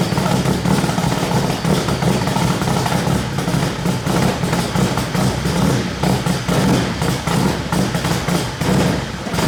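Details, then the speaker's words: K24-swapped BMW E30, very first start on the Link ECU's untuned base map, with fuel pressure between 40 and 60 psi: uneven, lumpy idle with irregular thumps over a low drone; rough idle. "wow okay we need to fix some stuff all right that's a good first try"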